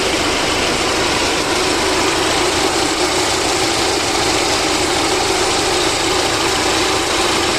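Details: VAZ 2109 engine after a full overhaul: steady, even idle with a smooth unchanging note and no knocks or misses; normal idle.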